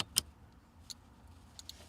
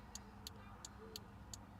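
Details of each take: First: Very quiet, sparse flasher relay ticks roughly every 0.75 s under faint hum, with a new adjustable turn-signal relay set to its centre setting after LED install to stop hyper flashing; barely clicking before being turned up. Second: Crisp turn-signal relay clicks at a steady, even pace over faint engine rumble after fitting an adjustable flasher relay for LED bulbs; LEDs blink slowly at normal tempo instead of hyper flashing, fix worked.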